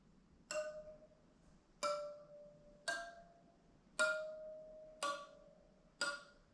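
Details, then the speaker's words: 1976 Honda GL1000 Goldwing spoked wheel, spokes tapped with a 6 mm wrench: six single taps about a second apart, some ring clearly, others die off dull and flat, marking loose spokes; most are a little loose on the roughly 50-year-old wheel. "That one's flat. These spoke nipples use a 6mm wrench. Most of them are a little loose, probably because the wheel is 50 years old, and the spokes are laced into the wheel."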